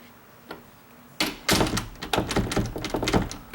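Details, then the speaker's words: Closed door chattering in its strike plate after adjusting the strike plate tab; quick loose wooden knocks and clicks, rattle reduced but not gone, tab needs bending further out. "still chattering so it's not chattering as much I can tell and so I'm going to have to just bend the bassoon you're out of it a little bit more"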